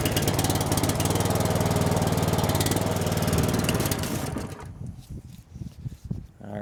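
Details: Older gasoline pressure washer with a Cat pump, air purged, fuel on, choke on, ignition on, throttle about half: the small engine catches and runs with a quick, even beat for about four seconds, then fades and sputters out as it stalls.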